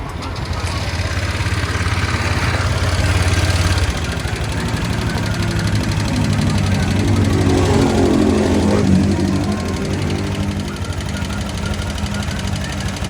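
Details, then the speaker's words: Honda with only 7,000+ on the odometer, idling. A busy, fast, fairly steady metallic rattle rides over the engine. The tensioner had reportedly been replaced with a new one; the source is still unknown, and the valve clearance is to be checked next. "Nakakatakot ang tunog niya, parang mga nagsusuntukang pera."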